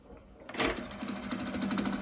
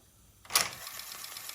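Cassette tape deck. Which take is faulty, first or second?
first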